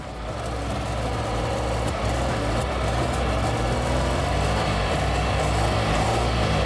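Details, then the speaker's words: Car engine after induced hydrolock at 60 mph: deep, uneven rumble with loose pulsing beat about four a second, rattling; engine still runs but rough. "yeah it's alive it's working hear that it is rumbling i can't imagine why though"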